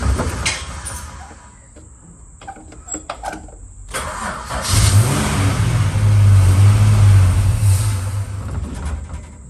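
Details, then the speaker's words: Holden VH Charger, first start after starter repair: cranks, catches and runs unevenly with lumpy pulses and pops as it revs, blowing back through the carb. Owner suspects timing out; unconfirmed. "come on all right well at least you know it runs and we've got some issues to look at with the cubby and also some issues to look at with tommy that's why it's blown past"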